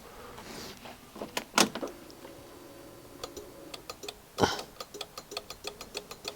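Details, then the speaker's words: 2021 Honda Forza 125 at 35,000 miles, no crank: scattered sharp clicks from the battery area with no cranking, even with a jump battery connected. The battery read a low 12.18 V and had loose terminals; the cause is still being traced. "so it's still clicking."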